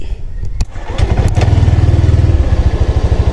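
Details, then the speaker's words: Honda Click 125 V3 scooter push-started after repair that fixed hard starting, stalling in traffic and knocking; catches at once and settles into an even steady putter without stalling. Idle RPM not yet verified against a Honda Click 150. "na siya Hindi na siya namamatay"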